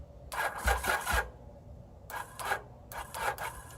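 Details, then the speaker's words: 1981 Yamaha XS850 Special, previously seized engine, cold morning: three short, laboured cranking bursts with a dragging, uneven churn and no firing. Slow crank, no start; owner suspects a weak battery, possibly no fuel or a stuck choke. "i did put this on high 12 and high yes so it should be should be getting pretty good to go boy this battery must really be taking a beating"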